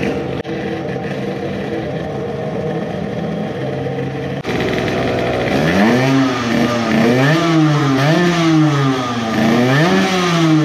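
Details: Modified moped two-stroke on its initial startup after block porting and epoxy work; no vacuum leaks found, carburetor at a steep angle and leaking fuel. A high, busy idle, then repeated revs with a stuttering pitch at the top; lots of sputtering at an estimated 15,000+ rpm.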